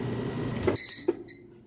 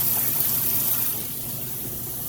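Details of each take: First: Maytag top-load washer lid lifted during full spin: fast spin hum cuts off with a brief high screech as the braking system stops the drum immediately, a harmless brake screech. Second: Maytag top-load washer filling while its matching electric dryer runs quietly nearby. Even rushing water with a soft gurgle, steady flow; the washer takes water in normally.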